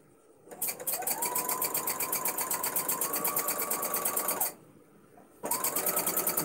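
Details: Domestic sewing machine free-motion quilting: fast, even stitching clatter about four a second with a steady high squeal that stops with the machine; quite squeaky, owner suspects it needs oil.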